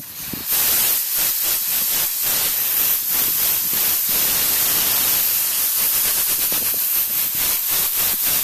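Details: Refrigeration condensing unit pressurised with nitrogen from zero (suction and liquid valves shut): steady, sharp, loud hiss of escaping gas with no motor running, a leak.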